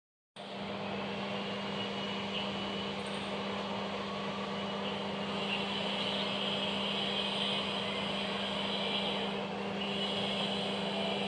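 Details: Volkswagen Vento TDI diesel idling with a steady hum and slightly uneven pulse; misfire with error suspected from sparking/arcing wiring, not confirmed.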